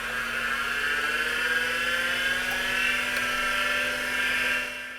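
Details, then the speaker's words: PCs Limited (Dell) 286 after restoration, old MFM hard drive spinning: loud steady whine with low hum, no clicking or scraping; drive running normally. "And we actually did get the MFM drive to wake up. And as expected, it's very loud."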